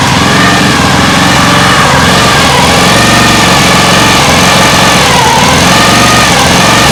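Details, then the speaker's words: Lawn mower engine on homemade air-cooled outboard at low speed, pitch slowly rising and falling every second or two, hunting; owner suspects the carburetor has no idle circuit so it isn't meant to run that low. "it is searching a little bit but I don't think the engine is in the carbur carburetor it doesn't maybe it doesn't have an idle circuit so it's not meant to go that low"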